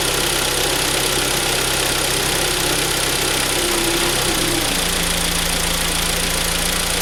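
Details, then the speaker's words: Hyundai ix35 2.0 G4KD after timing chain replacement, which had come back with a new knock when the gearbox was put in Drive; after the repair, idling in Drive: even idle dips slightly and settles, with no knock. Normal idle in Drive. "сейчас сяду в машину, заведу автомобиль и включу драйв, чтобы было слышно, что данный звук при включении передачи, драйва, включения коробки прошел."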